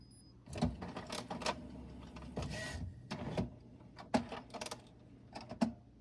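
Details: HP Smart Tank Plus 555 printer, new, idle after printing: quiet hum broken by short clicks and whirring bursts every second or so; owner suspects Wi-Fi trying to connect or a power-on signal, unconfirmed; intermittent mechanism noise.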